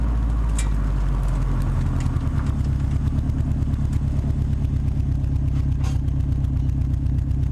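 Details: Subaru WRX at a loud, deep, lumpy idle with a chuffing puff under the exhaust note: exhaust leak at the downpipe joint, recorded before a downpipe-to-cat-back flange adapter was fitted.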